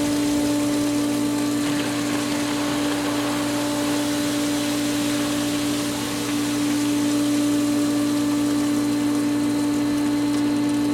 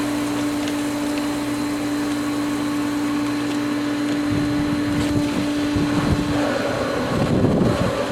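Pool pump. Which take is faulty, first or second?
second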